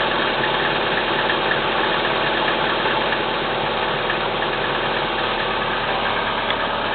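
Cold idle carries a steady knock about twice a second over the engine hum, a knock whose exact source can't be pinned by ear.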